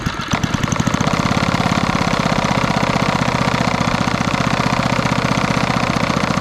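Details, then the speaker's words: 1964 Wards Power Kraft 110 V 1250 W generator with small Briggs & Stratton single-cylinder, about 3 hp, after carburetor adjustment; steady even thumping, no misses or surging; smooth running. "There we go. Just needed a little bit of adjustment, because otherwise the generator will never idle, so you don't have to really worry about that circuit on these ones."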